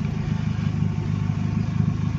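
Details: Car just after start with voltage stabilizer and big 3 ground upgrade: steady low rumble at idle, even beat, no knocks or squeals; voltmeter at 14 V, alternator charging normally, clean normal idle.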